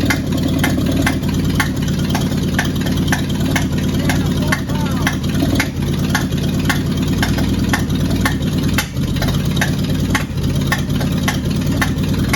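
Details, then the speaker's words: Cab-over van conversion engine, first start after carburetor rebuild, fed by a temporary electric pump: sharp regular ticks about twice a second over a steady low running note, popping hard; owner suspects one exhaust valve adjusted too tight and hanging open. "so I put a little clicky clack pump on there and tried it and it will fire but I think I've got an exhaust valve down too tight cuz it's popping real hard um when it runs and it sounds to me like one ex valve is hanging open"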